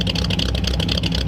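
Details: 1938 Ford convertible with new true dual exhaust, idling outside: uneven, lopey, cam-like beat with the car shaking, worse the longer it idled. Smells of fuel with slightly black smoke. Rough idle, likely rich and loading up.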